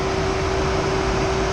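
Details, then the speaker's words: Tesla Model 3 supercharging at about 100 kW in Australia, battery near 40 degrees: AC fan cooling the battery, all vents open sucking air, loud steady whoosh with fixed tone, no pulsing; normal battery cooling. "I supercharged and then the battery cooling kicked in, and this is really, really loud because this is the fan for the air condition then."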